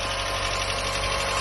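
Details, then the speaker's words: Mazda MX-5 Mk1 on its first start after standing about 10 years: busy, rattly, loud idle with a quick, constant tick throughout; ticking source not pinned down, possibly oil not yet circulated. "It's ticking a lot though."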